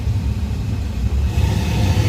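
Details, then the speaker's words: 2014 Ford Fiesta after blower motor replacement and dash popping fix: steady low blower rumble, recirc door switching cleanly between inside and outside air, no popping or ticking from the dash; HVAC healthy. "Now no more popping sound. That, my friend, is a diagonal repair."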